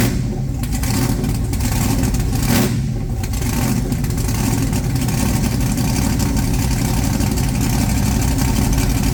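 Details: Blown big-block Chevy V8, just refitted in the ute, oil pump primed with a drill and timing set correctly, no coolant yet: deep lumpy idle, a clean rev blip, then an even return to idle; normal healthy running.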